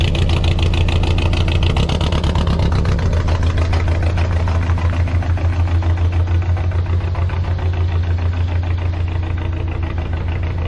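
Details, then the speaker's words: Car at idle, down a cylinder for an unknown reason before the spark plug was pulled: a lumpy idle with an uneven pulse three to four times a second. "so we seem to be down a cylinder for some reason"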